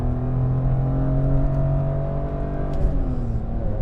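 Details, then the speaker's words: 2005 BMW E46 M3, S54 straight-six, 6-speed manual, MagnaFlow exhaust, drivetrain and flex disc refreshed, accelerating on road: clean, deepening exhaust note over faint gear hum/whoo; exhaust sounds good, slightly raspy earlier, small drone around 2,800 rpm. "Exhaust sounds good. It was a little raspy on the way up here, and there's a small bit of drone at like 2,800 RPMs."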